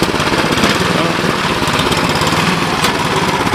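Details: Cub Cadet 1030E snowblower, 10 hp engine, auger engaged, carb needs cleaning: steady, even engine drone with auger churning underneath, no knocks or surging; normal running with auger engaged.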